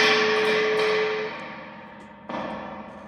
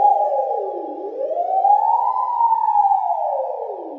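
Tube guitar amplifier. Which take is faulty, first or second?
first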